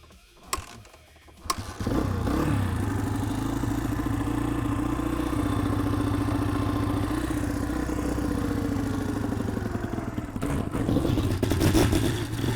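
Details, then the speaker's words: 2003 Honda CRF150 after replacing the plugged pilot jet and cleaning the carb, choke off, warmed up after a short ride: steady even idle with no hunting or stalling; running right. "After we took it down the road here for a second, you can hear it, it's just idling perfect. This seems to be working great."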